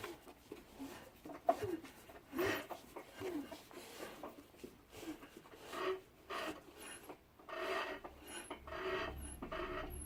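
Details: Rebuilt 26 PS Trabant engine after about 2,000 km, turned slowly by hand: quiet, uneven rasping scrapes. The owner notes it knocks at standstill but not while driving and suspects a link; a separate squeal comes from the alternator.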